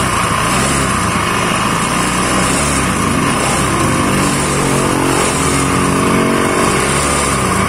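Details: Honda Scoopy carburetor model, G2 series: harsh, gravelly rattle over the engine drone as it revs; rough-sounding CVT.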